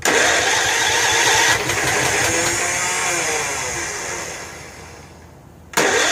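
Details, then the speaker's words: Snapper Hi-Vac commercial mower, Robin/Wisconsin engine, cranked on jumper pack after a little fuel primed: starter churns steadily, slowing, never catches; no fuel getting in, choke not found, starter may need lubrication. "But for right now, it doesn't look like we're getting any fuel in there, and I don't know where the choke is and stuff."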